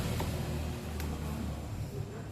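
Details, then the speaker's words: Arno 40 cm desk fan, dirty and running very slowly, switched on: low labouring hum with the blades barely turning; blade seems loose with play. "aparentemente ele tá fazendo um barulho [Música] eita tá meio esquisito viu o bicho parece que a hélice dele tá meio frouxa tá com uma folga"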